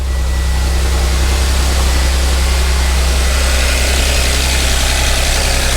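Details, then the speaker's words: 2013 Audi S4 CGXC 3.0T supercharged engine newly installed in 2011 Audi S4 B8, tensioners replaced and timed, first start with no coolant: smooth steady idle, even low drone, no knocks or ticks; exhaust maybe slightly aggressive; healthy. "looks like it's pretty healthy and it's happy"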